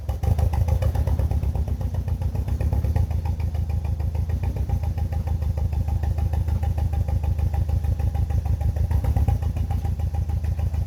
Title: BMW E46 318i N42B20 misfire sound